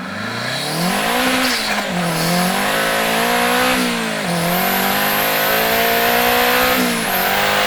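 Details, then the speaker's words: 500HP Mazda Miata engine, final full-throttle pull with enhanced engine bay audio: tone climbs through gears; main bearing caps broke at the start of 4th gear, yet engine held through full power in 5th and a 30-mile drive home. "And I want you to listen to this clip of the final pull with enhanced engine bay audio and realize that these things let go in the beginning of 4th gear, and the engine still held together through full power in 5th gear, as well as the entire 30-mile drive home."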